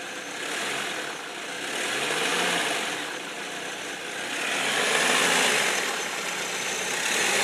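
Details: 2004 Saab 9-3 Aero: a steady, raspy whirring on the passenger side at the serpentine belt that swells as revs rise with a little gas. Owner suspects the belt tensioner, an idler pulley or the timing belt tensioner.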